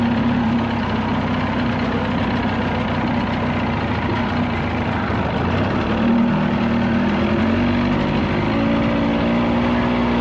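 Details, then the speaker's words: 1979 Evinrude 35hp outboard (also called old Johnson 35) at no-wake speed with air box left off, after adjustments: steady, even low burble with water noise; runs a little smoother after the tweaks, normal running. "no wake speed does run a little smoother with some of the adjust ments I made which is nice"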